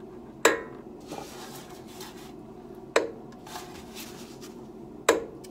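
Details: Mercedes R129: sharp creaking pop every two to three seconds as the steering wheel is turned, quiet between, heard from both sides; traced after about three hours to a cracked rubber part in the steering, steering dampener suspected, fix to follow.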